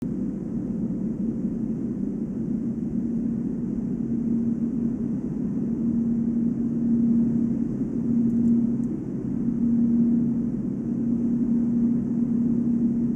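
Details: Volvo S80 on brand-new 245/40 R18 Goodyear Eagle F1 Asymmetric 6 summer tires: steady low drone around 200 Hz at about 145 km/h (±5), swelling in waves; unchanged by accelerating, braking or cornering; wheel bearing doubted, owner wonders whether tire tread or rim design is the cause.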